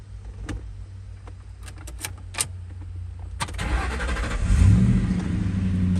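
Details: Ford Mustang with crank-no-start and flashing security light, after installing a new transceiver with the old cable: a few clicks, then the starter spins and the engine catches quickly into a steady idle; fixed.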